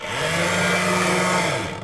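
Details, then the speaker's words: Sega Video Driver toy car mechanism on batteries: loud steady buzzing drone from small motor and gears, even pitch, not jamming, before winding down; running freely. "But at least this bit works. And it's not jamming. It sounds like a really upset cow mooing angrily at me"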